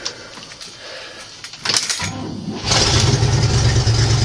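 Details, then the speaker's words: 1975 International model 200 3/4-ton 4x4 pickup, four-speed, 142,000 miles, cold start at about 35°F: cranks, catches, then a loud, raspy, puffing idle, much louder than it should be, typical of an exhaust leak. "when I start this up you're not going to be able to hear me talk cuz of the uh exhaust"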